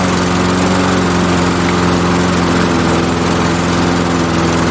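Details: MTD Pro mower with Honda GCV160 engine, after dying, running on old brittle fuel line: steady, even single-cylinder chug at constant governed speed, no misses or knocks; running smoothly.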